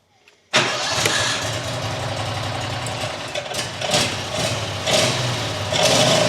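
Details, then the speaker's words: New John Deere XUV side-by-side petrol engine that won't idle, rodent damage found, started on choke with brake on: cranks and catches, then surges in uneven bursts and cannot settle to idle. "I'm going to start this thing and see if it'll idle. Now, push the brake on. Choke it. Nope."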